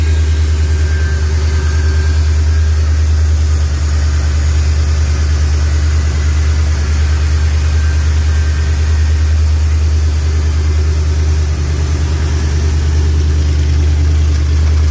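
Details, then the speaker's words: SVT Lightning new-build engine, E85 with ported supercharger and EGR delete, first start on open headers with good oil pressure: a deep, steady V8 burble at an even, slightly high idle with no lope or shake; normal idle. "she's steady eddie no shaking perfect"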